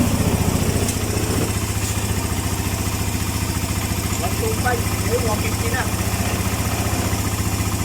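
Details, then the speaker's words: Suzuki Mola GS125 engine converted to 150 and rebuilt; after repair the earlier ticking noise is gone, steady even single-cylinder idle pulsing about four times a second with no tick or knock: normal idle. "Tahimik na. Hindi pa kagaya nung nakaraan na may lagitek, ngayon wala na. Natahimik."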